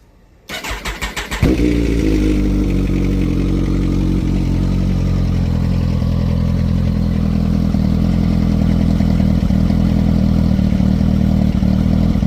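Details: 2010 Kawasaki Ninja ZX-14 after sitting over a month, with a new fuel pump fitted, the badly clogged fuel filter cleaned and battery cables reconnected: brief crank, catches, settles to a steady even idle with no misses; runs normally.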